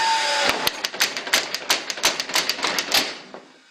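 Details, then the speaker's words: Restored Vernet power hammer; the flywheel drives an internal crankshaft that raises and drops the ram. Sharp clacks about five a second slow and die away as it coasts to a stop: normal operation. "Donc le volant, lui, entraîne le vilebrequin qui est à l'intérieur. Le vilebrequin monte et descend. Toc toc toc."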